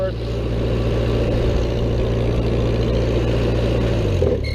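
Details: Old Vermeer 665A stump grinder engine under load, pulling its belt drive; steady deep drone holding even speed, no misses, knocks or rattles: healthy, normal running.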